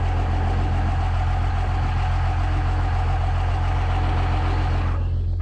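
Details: First-gen diesel truck with a P-pump, started on a borrowed battery: strong even clatter with a steady deep rumble, no misses or knocks; running healthy and smooth, though it later wouldn't shut off (not a runaway).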